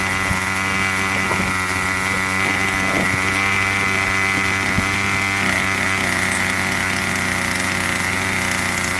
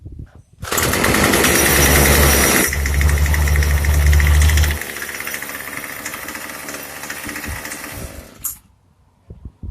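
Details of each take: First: Craftsman 25cc two-stroke weed eater that wouldn't stay running, after a carb tune: steady high buzzing drone at even pitch with no surging or stumbling; runs properly, purring. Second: Craftsman 25cc two-stroke weed eater that only fired on starter fluid: buzzes loud then sags and hunts unevenly before dying; poor running, judged to need a carburetor tune.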